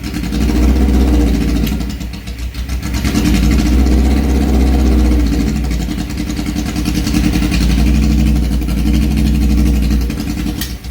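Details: 1978 Suzuki GS1000 four-cylinder, just refilled with 3,400 ml oil, clutch cable reattached: loud steady even deep beat, no clickety-clack from the clutch side as before; running normally, clutch still needs adjusting.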